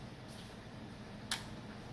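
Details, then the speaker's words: Samsung PN58B550T2F plasma TV that went off after a big pop: a single sharp relay click over a faint hum as it tries to start, then it drops out and the relays cycle. Power board failure. "then click back we hear the sound then goes off and the relas start clicking"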